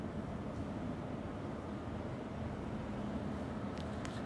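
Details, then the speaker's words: New minisplit air conditioner at first power-up, in cooling mode at 22 degrees with the fan on high: the compressor starts right away with a steady, even low hum and faint constant drone, no knocks or rattles. It is running normally and cooling immediately. "Enseguida se arrancó el compresor."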